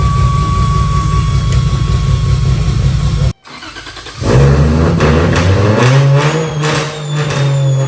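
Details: 2JZ-GE VVTi with cheap T51 turbo in MX83 Cressida, first start on Haltech ECU: fires after a pause into a heavy, raspy idle with a thin steady whistle from the open speed-sensor bung; turbo whistle.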